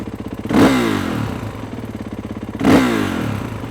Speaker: now i'm going to hold the front brake because i know it's going to jump forward but if i click it into gear now that it's really trying to hear lugging down the engine